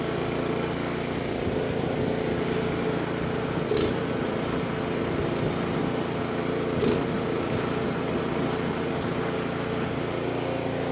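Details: 24-inch snowblower that sat 2 years, after a quick carburetor cleaning, on choke: the small engine holds a steady, even buzz with no surging or sputtering. Fuel is getting through and it runs right.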